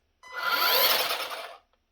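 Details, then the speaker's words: Ryobi RY40250VNM Expand-It 15-inch cordless string trimmer spun briefly: high rising motor whine with a rough raspy grinding as the head spins up and coasts down; owner suspects cheap bearings. "You can hear the whine of the motor, but then also there's it's like a grinding noise almost, like they use really cheap bearings or something."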